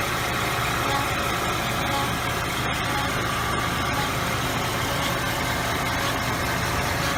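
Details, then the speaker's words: 2014 Kia Sorento front brake rotor, worse the longer it is driven and present in neutral with the engine off: light, high chirps with wheel rotation; lateral runout about 0.015 in against a 0.003–0.006 in spec. "So you can definitely hear a noise from this side."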